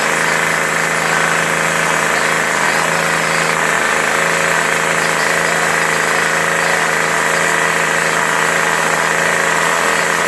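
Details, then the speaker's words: Troy-Bilt 25cc 2-cycle curved-shaft trimmer, salvaged, spark plug filed and replacement carburetor fitted, test run in snow with no cutting: high buzzy two-stroke drone at constant pitch, no stumbling or surging; normal running. "So I'm going to fire that up to show you how good it runs. There's snow on the ground, so this is just a test run."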